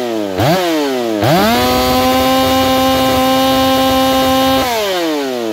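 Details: Saw Fest 4910 50cc race chainsaw, carb leaned after running rich, out-of-box chain with about 25–30 cuts: snaps up from idle, holds a clean steady high scream, drops back; revs out strongly before tach check and oak test cuts.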